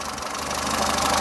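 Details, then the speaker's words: Peugeot 207 saved from scrap, warm idle after oil leak repair (now leak-free): light, quick ticking at engine speed over the idle; tappets audible, mild, owner thinks not too bad but plans to adjust them anyway. "I'm going to do the tap it anyway cuz you can just hear them you'll hear them more on the uh on the video I don't think they're endly bad but just sounds a little bit nicer if they're not tacky tacky tacky tacky tack tack tacky"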